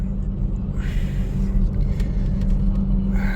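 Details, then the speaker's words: 2004 Toyota Tacoma 4-cylinder, 141,000 miles, at idle after a heat soak: low, uneven, lumpy beat that skips now and then. This is a dead miss on cylinder 1, and the coil pack is ruled out because it was already swapped. "I went inside and now is where we're making a video cuzz we are clearly misfiring on that cyinder one so it was something after a heat soak and now we got a dead Miss"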